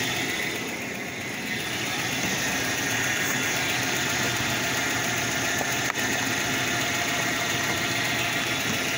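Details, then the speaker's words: Ford Flareside pickup, first start after about four years parked, with a new intake switch and fresh batteries: steady, even idle with a light regular patter and no knocks or misses; the engine sounds healthy, normal idle. "vamos a dejar todavía un rato lo que hace pero no se escucha mal señores no se escucha mal el motorcito"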